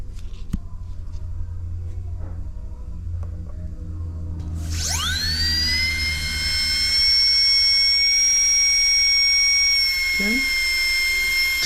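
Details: DCI 6310 foot pedal dental delivery unit, high-speed handpiece test on channel three with pressure gauge: motor hum, then sharp rising whistle settling into a clean steady high tone, spinning up smoothly at proper pressure; normal.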